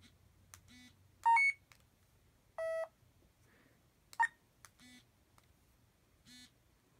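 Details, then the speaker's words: Talking currency reader in tone mode: quiet room, then short electronic beeps at differing pitches with one longer tone signalling the bill's denomination; alternative to speech and vibration modes. "now there are several different ways that you can have it do this you can have speech mode as I just showed you you can have tone mode"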